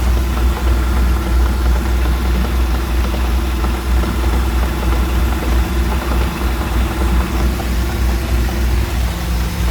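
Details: Mercruiser 4.3 V6 marine engine: low, steady idle with an irregular knock underneath at roughly three per second; knocking at idle, source unconfirmed.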